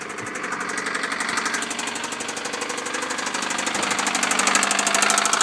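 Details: 1998 Honda Civic cold start and idle with severe rod knock; loud, heavy metallic knock about three per second clearly above the engine hum, a badly worn rod bearing.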